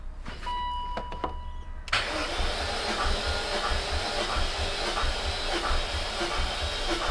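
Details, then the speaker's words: High-mileage supercharged S62 V8 BMW E39 M5 during compression test (metal flakes found in oil filter), battery flat: slow, uneven starter churn about 1.5 beats per second; slow cranking from weak battery. "It's cranking a bit slowly. Yeah, that battery is a bit flat."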